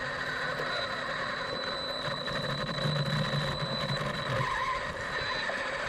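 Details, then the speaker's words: Arrma Typhon RC car after rebuild with replaced chassis and hub, first test run with throttle limited to 50%: steady electric whir with faint high whine, no clicks or grinding; motor and drivetrain spinning freely, running nicely. "I'm out here giving it the first test run. I've got the throttle limited to 50%. The car's running very nicely."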